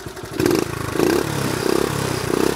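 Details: 1970 Honda Trail 70 single, back running after years parked drained: revs cleanly through several quick throttle blips and settles back evenly, no misfire or clatter; normal revving, engine healthy.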